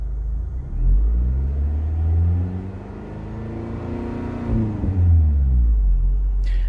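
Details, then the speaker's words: Scion tC with an added DSP on the factory head unit, engine running and revved after fitting a noise filter and ferrite cores on power and ignition wires: low rumble, alternator whine through speakers essentially gone, barely faint. "I don't really hear anything right now with the car running I don't hear any wine"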